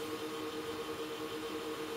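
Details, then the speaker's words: Supermicro X9DRH server in X-Case RM 200 Pro with 80 mm temperature-controlled fans, loading an OS: soft steady airflow hiss and even hum, no rattle or surging, noise mostly from CPU coolers; normal. "the noise in fact is coming more from the two coolers than it is from the Redundant power supply fitted here or the 480 your fans"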